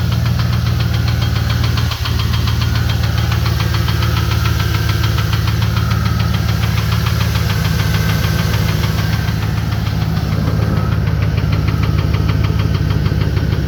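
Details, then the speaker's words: 2015 Chevy Express 1500 van V8, warranty inspection for engine noise: fast, steady ticking over a deep, even idle; cylinder seven briefly flagged, sticking lifter suspected, oil pressure good and oil clean. "all right we had a cylinder seven there for a second I suspect the uh the lifter might be sticking"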